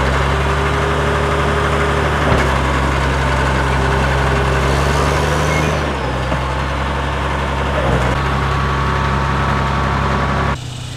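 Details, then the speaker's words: Caterpillar D7F dozer at its first start in 10 years, starting within 3 seconds: a deep, steady diesel idle with an even low drone and no knocks or misses. The engine sounds healthy. "Did you hear it? It sounded amazing. Like, I really didn't even expect it to start that easy. I just hit the key and within 3 seconds, it was running."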